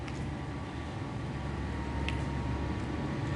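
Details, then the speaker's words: Hoveround Teknique HD6 heavy-duty power wheelchair, 180 hours of use, top speed about 4.5 mph: low, steady hum from both heavy-duty drive motors with a faint even whine; normal for these motors. "this one here, because the motors are heavy duty, you will hear a slight hum in both motors. That's what you want to hear because these are the heavy duty motors."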